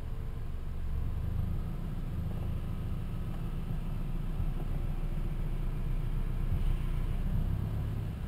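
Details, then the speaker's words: Toyota Camry, 140,000 miles, at idle while the wheel is turned after thick grease was applied around the steering shaft splines under the rubber boot: steady low engine rumble and no steering-wheel squeak, where it squeaked before. "so now when I turn the wheel you don't hear"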